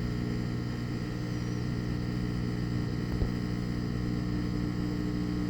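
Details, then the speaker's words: Replacement washing machine drain pump (the old pump was rusted and jammed by a safety pin) during drain and spin: a steady, even low hum with no rattle or grinding, moving the water; normal operation. "sounds like it's moving moving the water pretty"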